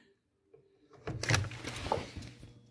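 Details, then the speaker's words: Hotpoint HHM5SM freezer with its faulty original start relay refitted: compressor hums at plug-in, then the overload clicks it off and it fails to start, cycling; fixed by a new start relay. "you hear it humming and that click and it'll do it again in a few seconds"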